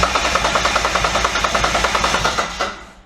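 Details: Twin-turbo Mitsubishi Triton with a 3.0L 6G72 V6, cranking with the injectors off while ignition timing is checked, locked at 0°, in 40° heat. A quick, even starter chug at about eight beats a second, strong and steady. The cranking is healthy.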